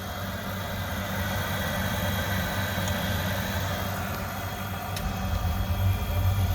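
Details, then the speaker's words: Oil boiler that keeps locking out and sooting up, first firing after bleeding air from pump (pressure a little low): steady low roar with uneven pulsing rumble, smoke test about 7; poor combustion. "okay so first smoke test is not very good I'm going to go that's going to be about five or six maybe even a seven yeah it's about seven so it's not very good at all"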